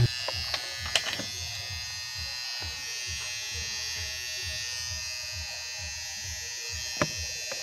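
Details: Hair clipper after fixing noise by bending the blade spring to tighten loose blades; steady, even high buzz running smoothly with a few handling clicks.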